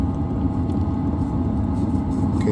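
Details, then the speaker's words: LF Bros 5 kW diesel heater during start-up: once the glow plug heats and the diesel ignites, a deep steady roar builds as the blower motor ramps up (about 69%) and the combustion chamber lights; normal running after ignition. "so it's going to start ramping up and the and the noise that you hear as as a turbine starts kicking up or the motor the blower [Music] motor"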